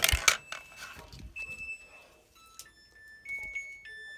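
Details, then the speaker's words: 2005/2006 Maytag Neptune washer: short run of clear electronic tones at different pitches plays as a tune, the normal end-of-cycle signal; washer otherwise vibrates heavily, floor suspected not level. "the Sun the washer is playing a song"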